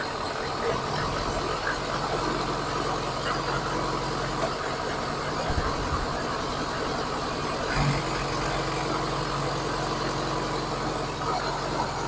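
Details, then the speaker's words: Fuel-injected VAZ 21099 with high fuel use, idling poorly until warm, after parts swapped with no change: rough uneven idle with irregular stumbles; cylinder four has weak or no spark, ignition wires already replaced, coil suspected. "нічого не змінилось так Ну що нічого не помінялось то що тільки не глохне А так як троїло так і троїть"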